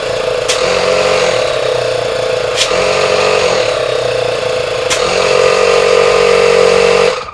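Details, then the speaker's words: Old portable 12V car tire inflator, previously quit working, fixed and powered through a cigarette-lighter style plug; steady fast buzzing pump chatter with firm whine, reaching almost 150 psi with the nozzle blocked. Normal compressor running. "wow it worked I can't believe it it's putting out a lot of pressure too"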